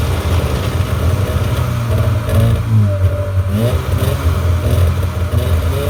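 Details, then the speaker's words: 1997 Polaris Indy 500 snowmobile (two-stroke) after a suspension rebuild and track adjustment, run with the track spinning free. Steady drone as it revs and settles, no knocks or grinding: normal running. "all right so you saw there just let the track uh spin free a little bit there spun it around a few times and shut it off"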